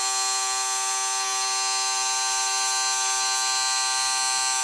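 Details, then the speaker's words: Motorized Walthers bascule model bridge gearbox with loose linkage rod, bridge moving smoothly; steady high buzzing whine at constant pitch and level, no grinding or catching: running normally. "so you can hear that it goes up and down very smoothly"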